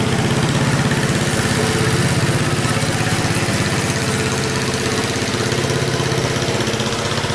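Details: 1977 MTD 990 (badged Dayton, 16 hp) riding mower, formerly a no-start with electrical faults now fixed, mowing with the deck engaged at moderate throttle: steady single-cylinder beat under cutting load, no misses or knocks; runs healthy.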